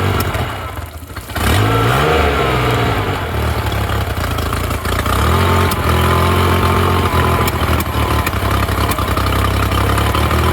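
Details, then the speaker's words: Honda BF35/BF40/BF45 outboard after a carburetor installation: a short catch at start-up, then a steady low idle burble firing evenly with no knocks or misses. It is slightly rich in the midrange. Normal healthy idle. "a little bit rich in the middle here oh that is a beautiful Idol what a great engine"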